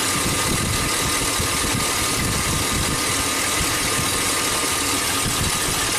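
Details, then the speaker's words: 2005 Chevy Silverado 2500HD with a reman engine at rough idle: faint sharp snaps tick irregularly. The cylinder 2 plug wire is arcing, so spark is not reaching cylinder 2, which showed no contribution on a drop test. "can always hear something snapping the iron plug cylinder too you don't hear the snap plug it back in snap snap snap snap snap snap okay that's definitely a problem"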